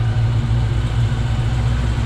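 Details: Whipple-supercharged Dodge Challenger Scat Pack after CNC-ported heads and shorter pushrods were fitted, to address earlier valvetrain issues. Warmed up outside, it gives a deep, steady, slightly lumpy V8 idle with no ticks or knocks, running cleanly.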